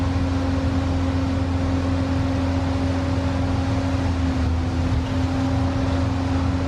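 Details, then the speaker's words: Upright AB62RT boom lift, sat over a year, running on old fuel: smooth even drone with steady low hum, no knocks or misses; engine runs cleanly and holds speed. "I just want to say did you listen to that purr that's still on that old fuel"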